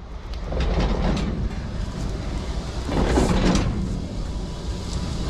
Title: Страшный СТУК колёсной пары вагона! Причины появления наваров и ползунов!